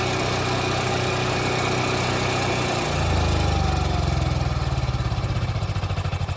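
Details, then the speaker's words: Onan 4000 KY generator after a new plug, oil, fuel filter and fuel pump, carb bowl and jets cleaned, and choke coil adjusted. Final result after turning the altitude adjustment screw counterclockwise to richen the mixture until the surging stopped: a steady, even drone with no hunting. "Using pliers, turn the screw counterclockwise slowly until the generator smooths out. Final result."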